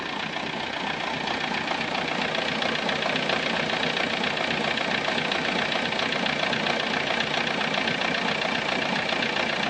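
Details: VW Golf 3 engine at steady idle with a sharp, regular tick about four times a second over the engine; cause of the ticking not yet identified.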